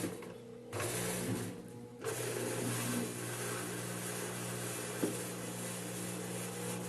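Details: 8.5 kg Turbo Drum washing machine in spin cycle with excessive vibration, cover removed; steady motor hum then rough churning drone and a knock, the shake of a worn basket spider.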